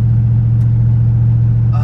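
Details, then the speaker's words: Carbureted 1984 Chevy C10, bagged, on a cold start; its carb raises the idle by itself when cold: a deep, steady, even idle hum, noticeably fast, with no misses. Normal cold fast idle. "No, it's just cold start. So you'll notice this thing's idling like really high."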